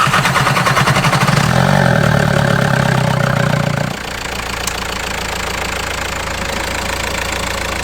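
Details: 1.9 TDI diesel after replacing turbo, cylinder head, injectors, camshaft and tappets: fires up and settles into an even, steady idle clatter with no odd knocks; healthy normal idle.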